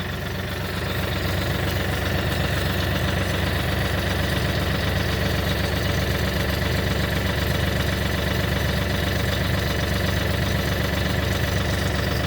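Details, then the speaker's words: Kioti NX6010 hydrostatic tractor after hydro filter housing change, clear suction line fitted, recorded close up at rear as it warms: steady diesel drone with faint constant whine and churning; small bubbles show air entering the hydro system again. "and then here I'm gonna get real close so you guys hear it but here is where I can hear that the problem is definitely back"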